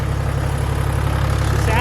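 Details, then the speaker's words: Toyota Land Cruiser HDJ81 1HD-T diesel after rod (big-end) bearing replacement, freshly refilled with oil: smooth, even low rumble at steady idle, no knocking or ticking, seeming quieter than before. Normal idle. "so yeah it sounds real smooth it's actually in my opinion it sounds quieter"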